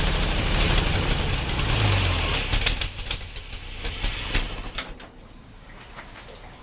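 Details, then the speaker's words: Ford 8N tractor after carburetor rebuild with no improvement: cranked over, no leaks, accelerator pump working, still rough uneven firing that fades and dies within seconds; engine runs rough and stalls, cause unconfirmed, fuel line flow to be checked next. "hmm still doing the same thing that's"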